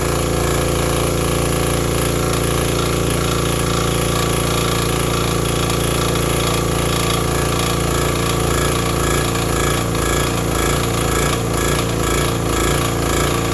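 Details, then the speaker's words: Vintage Briggs & Stratton 5 hp generator that fired right up once the switch was set fully to on: even, steady chugging at a constant governed speed while running a shop vacuum. No misses or knocks; it runs properly. "Uh, apparently the on button was too far over. I put it right there and it fired right up."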